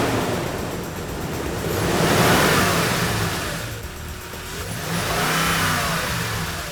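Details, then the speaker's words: Toyota Tundra with original OEM air intake, before TRD cold air intake install: engine catches and revs smoothly twice, rising and falling evenly with no knocks or rattles, music underneath; sounds healthy. "Let's hear the engine start with the original air intake."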